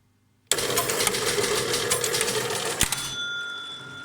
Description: Pinball Fireball not starting properly.(buzzing sound).